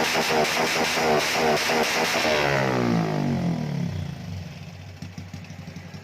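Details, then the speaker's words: Customer's car stumbles and hesitates on acceleration, unresolved for a month; revs fall off slowly with stuttering, uneven popping instead of a clean cut on throttle close, as if reluctant to cut. Injectors and ECU already replaced, same symptom; ignition fault. "ครับเป็นไงได้ยินเสียงตัดกันยังครับเหมือนมันไม่อยากเต็มใจจะตัดอ่ะครับ"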